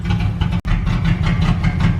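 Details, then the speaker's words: 1998 Jeep Grand Cherokee with blown head gasket (oil mixed with coolant), about 20 minutes into a Blue Devil head gasket sealer treatment: low, lumpy idle with uneven beats and a brief near-stall stumble; rough, misfiring idle. "alright so it's been about 20 minutes still running but it's running pretty Gras just got significantly rougher"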